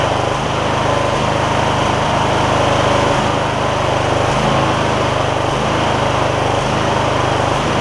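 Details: MTD Lawn Chief garden tractor V-twin after debris found in the intake, suspected cause of the problem: even steady putter at constant speed with no rising and falling surge, run to check for recurrence; normal smooth running.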